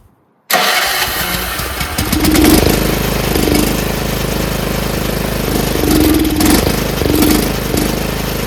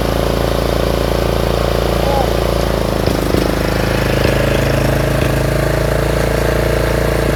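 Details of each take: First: Troy-Bilt 30-inch rear engine rider mower on oil-gas mix, off choke: runs roughly with uneven surging, never settling to idle; fuel starvation, owner suspects float and needle. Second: Troy-Bilt 30-inch rear-engine riding mower just reassembled after carburetor work, with broken throttle plastic so the lever won't stay set. The single-cylinder runs steady and even, no misses or knocks, driving the mower along smoothly; running fine.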